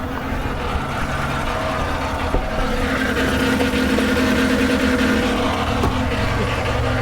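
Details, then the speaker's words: 2014 GMC Sierra right after a CAN bus no-crank fix, showing a steering-reduced warning: steady idle with an uneven gravelly undertone and a faint tick about four per second. Suspected from the transmission area, not confirmed. Rough running noise. "we do have power steering but it says steering reduced and something sounds pretty rough on this truck I don't know if y'all hear that or not"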